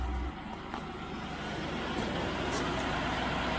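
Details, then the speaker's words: 1971 Range Rover V8 with Petronix-type electronic ignition fitted to the Lucas distributor, idling after restoration. Steady, even smooth low beat around four per second, no misses or knocks. Normal idle; owner doubts the viscous fan is working. "So you can hear the engine is purring. Really is purring."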